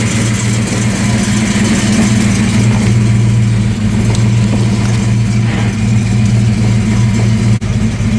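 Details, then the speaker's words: Ford Fox Body 5.0 Mustang V8 started after an accident, once the fuel pump inertia switch behind the rear panel was reset: steady, even idle with low rumble, no stumbling or knocking, oil pressure showing; normal idle. "guys we've established that the car in fact still runs and as you can see there it does have oil pressure"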